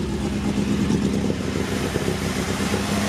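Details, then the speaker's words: MGB with new fuel filter and fuel line and retuned carburetor: smooth, steady run with an even low hum and no ticking or clatter from the top end; normal running with quiet valve train and no more valve noise. "Oh yeah, there's like no more valve noise, which is awesome. Sounds so much better."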